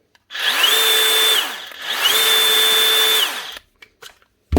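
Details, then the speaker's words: DeWalt DCS571 cordless saw after tightening the loose locking nut on the armature bevel gear, which had stopped the blade spinning: two clean runs, each spinning up to a steady high whine and coasting down smoothly with no rattle or grinding. Normal operation. "Sounds good."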